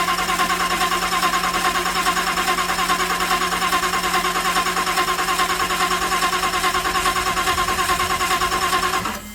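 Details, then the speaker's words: Jan's Stewart Mustang replica warbird, 540 big-block, no prop fitted yet, in flight attitude for fuel feed: even, steady pulsing drum about two beats a second over a low hum, no misses or leaks; runs pretty good, timing adjustments possibly needed. "good runs pretty good and apparently no leaks out there"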